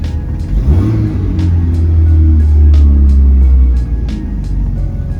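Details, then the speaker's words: VW Golf at startup: rev flare, then steady raised idle that doesn't drop to the specified 950 rpm; rev hang on startup, cause not yet found. "It's idling high though. It's not supposed to idle there, it's supposed to idle at 950."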